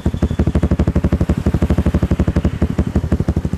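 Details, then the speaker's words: Motorcycle with Juken 5 ECU, ignition timing altered over a low idle rpm range to create a rumble idle: single-cylinder rapid uneven thumping, some pulses stronger, still lumpy ("pincang") as intended. "tapi itulah alhasil kalau misalkan timingnya dirubah di RPM sekian sampai RPM sekian di stasioner awal ya bro ya. Ini suaranya masih pincang."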